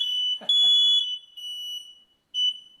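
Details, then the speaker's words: Newly installed hardwired, interconnected smoke detector with battery backup, test button pressed: a piercing high-pitched alarm sounds in loud pulses and sets off the other installed detectors, so the interconnect is working. "And you can hear it setting off the other ones that are still installed."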